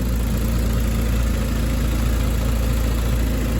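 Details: Ford FG Falcon G6E turbo six after maintenance and mods (new plugs, centre muffler delete, intake upgrade, fuel filter), being revved and stalled up: smooth even low rumble, no misses, knocks or ticks; sounds like a turbo car should, healthy.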